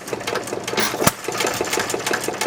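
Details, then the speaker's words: 1919 Domestic side-shaft hit-and-miss engine, timing adjusted slightly ahead: quick, steady mechanical clicking with a single sharp firing bang, even rhythm; engine running properly. "You put your finger on that, you don't even hear this thing moving."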